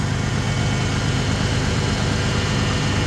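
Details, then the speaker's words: Ford Bronco started for the first time after sitting a while, with new radiator hoses, fresh coolant and gas: steady, even low idle rumble with no lifter tap, ticking or misses. "She really don't sound too bad considering I've been sitting a while. I expected a little bit of lifter tap or something, but really sounds pretty dag good."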